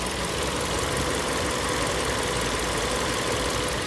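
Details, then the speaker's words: 2012 Hyundai ix35 G4NA engine, ~127,000 km, after overhaul for diesel-like knocking, warmed up: smooth even idle hum with no knocks or rattles; normal healthy idle. "Думаю, слышно, что работает прекрасно, идеально, без каких посторонних стуков, звяков, брюков, бряков и так далее. Слышно четкая, тихая работа двигателя, как он должен работать."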